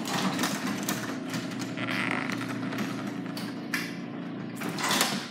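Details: Garage door before lubrication: rough, scraping run with creaks and squeals as the door travels; dry rollers and hinges need lubrication.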